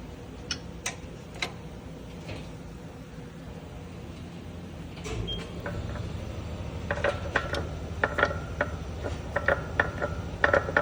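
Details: Sharp, irregular clicks over a low rumble, growing more frequent toward the end; Ram clicking noise while turning, source not yet pinned down.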